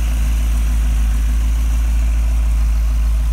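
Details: Model A hotrod chassis with a rebuilt, broken-in 1965 283 small-block Chevy, no street miles, on temporary very quiet mufflers so the motor itself is heard: deep, even rumble with a steady idle lope, no knocking or ticking; healthy idle.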